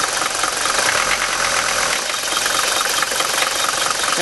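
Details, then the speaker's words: Mercedes 5-cylinder diesel after all five worn Bosch injector nozzles were replaced with Bosio nozzles; fully cold start at 51°F after sitting overnight, glow plugs cycled twice; even, steady clatter with no stumbles. "keep in mind that it's 51° out here this morning and I haven't done anything this car sat overnight it's completely cold I cycled the glow plugs two times notice how smooth the engine is"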